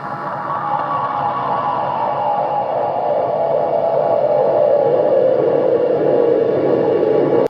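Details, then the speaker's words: Homemade delay pedal circuit: a steady low hum with a thin noisy layer that never changes, still present after touching up solder joints on the back of the board; cause of the hum suspected, not confirmed. "You can still hear it humming."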